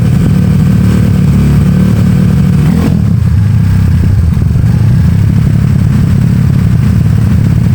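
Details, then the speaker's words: Honda Beat carb scooter bored to 130cc, 2+ years daily use, PE26 carb, slightly raised compression, racing exhaust, checked up for touring: deep, even exhaust note through repeated throttle blips, no misses or knocks; healthy. "tadi gua gua udah tes tuh enak banget geberannya. Mantap. Suaranya juga halus."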